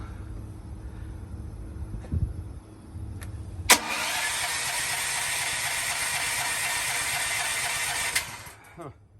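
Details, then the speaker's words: Propane-fueled generator that sat about 2.5 months, ran on propane once and for hours on gasoline, cranks steadily about four seconds off a trickle-charged, weakening battery without catching; no-start, cause then unknown to owner. "I've run it on propane once when I first got this, so It will run on propane, but I don't know what the problem is"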